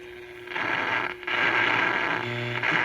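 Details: Japanese-market 100-volt National (later Panasonic) radio: loud, uneven scratching crackle that drops out and cuts back in after an attempted fix that seemed to make it worse; suspected dirty or intermittent contact in the tuning area, not confirmed.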